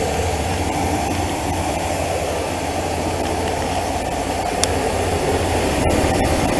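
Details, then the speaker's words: 2012 Ram half-ton 5.7 HEMI after repair of broken exhaust-manifold-to-head bolts (the 'Hemi tick'), cold start. Steady, even V8 cold idle with a smooth low rumble and no ticking on the formerly loud manifold side: normal cold idle. "Alright, she's fired up cold. No noises over here."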